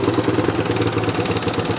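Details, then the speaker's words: Yamaha YTM 200 single-cylinder ATV idling off throttle with idle set high, since it won't idle otherwise once warmed up: quick steady patter faster than normal idle. "but if I'm not on the gas but had the Idol set a little high so I don't the only thing is when it gets warmed up they don't idle then but oh well we'll just make sure I got the RPMs up a little bit"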